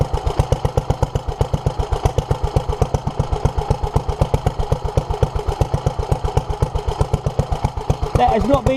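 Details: 1947 Petter A2 single-cylinder engine, first run after its Zenith 24T2 carburettor was stripped, ultrasonically cleaned and fuel pipes replaced; strong, even thumps about five a second, steady with no misses or stumbles; a leak still present; runs cleanly.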